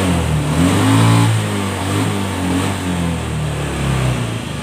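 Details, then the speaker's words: Honda Scoopy FI scooter after full service and CVT upgrade, previously slow with delayed throttle and heavy pull: engine picks up cleanly as throttle opens, pitch rising and settling with no hesitation or bogging; throttle response restored. "Yang tadi awal mulanya lemot, sekarang sudah bagus kembali."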